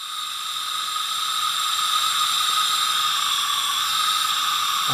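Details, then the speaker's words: Tecumseh 10 HP engine, not running, during a leak-down test with compressed air fed into the cylinder: steady high hiss as air escapes and the cylinder fails to hold pressure; the exhaust valve is suspected of not sealing. "if you can hear that but i think that exhaust valve is not sealing correctly"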